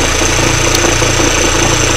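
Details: 2013 Kia Forte Koup at 150,000 miles, idling near 900 rpm, heard outside the engine bay; wobbling AC compressor pulley is suspected: steady idle with a low pulsing drone and faint rough vibration; idle noise.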